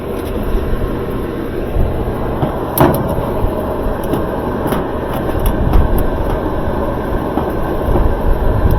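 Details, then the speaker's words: GE stacked washer/dryer, dryer after repairing the ball-and-cradle rear bearing hub; even low rumble of the tumbling drum with a few light clunks, no grinding or squeal: running smoothly. "let's plug it in let me take that drain hose out of the and it's on time turn it on it sounds good sounds real"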